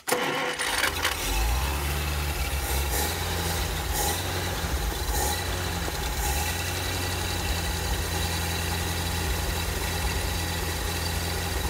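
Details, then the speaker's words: Packard 356 nine-main-bearing straight-eight display engine, cold, catching again after a stall and settling into a low, slightly uneven idle, not yet running smoothly; rough cold running that needs constant throttle. "And of course it's cold, so it's not going to want to run unless I keep playing with the throttle. I thought it would start up and purr like a Packard."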